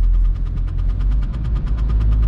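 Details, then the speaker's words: VW Golf Mk3 1.9 TDI 90 hp (1Z engine) on a rainy test drive: quick regular light ticking, about ten a second, over road rumble. The handbrake cable is touching the rear tyre. "i think that something with the handbrake has to do with that problem"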